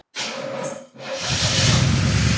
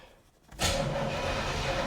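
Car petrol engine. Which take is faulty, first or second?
first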